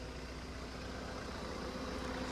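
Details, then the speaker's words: Maruti Vitara Brezza DDiS diesel with about 1.5 lakh km (149,000 km) and original engine, clutch replaced; steady, even diesel clatter at idle with no knocks or misses, sounding healthy. "दोस्तों ये इसकी आवाज भी थे ऐसी बिल्कुल भी पता नहीं चलता है कि ये गाड़ी 1.5 लाख किमी चल चुकी है।"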